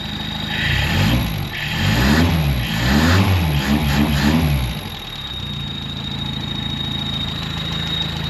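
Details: Carbureted truck, just running on a fresh rebuilt carb, needs more idle. A steady high-pitched squeal over idle and blips that does not track engine speed. Owner first unsure and suspects the fan belt; later identified as a squeaky clutch thrust bearing.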